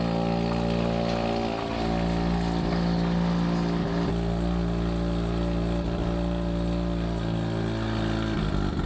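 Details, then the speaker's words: Rotary engine idling cold at about 800 rpm, not yet warmed up: low steady buzzy, slightly choppy exhaust, idling normally after a slightly rough start. "a little bit pissy to start up but you it hasn't even warmed up yet she's perfectly idling out of whatever 800 rpm"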